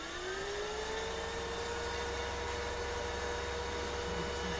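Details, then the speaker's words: Proteon 4500 (CNX 500) at first power-on: fan whir rises in pitch over the first second, then holds a smooth, steady hum with no rattle; healthy fan, front lights on. "sounds healthy so far. I see lights on the front."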